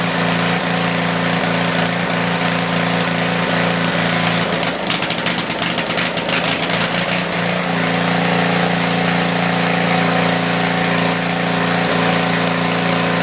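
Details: Tecumseh generator, believed 4000 W with 8 hp single-cylinder engine, long stored, after new feet were fitted: steady governed speed with even exhaust beat and a brief rattle midway; runs well and starts easier now.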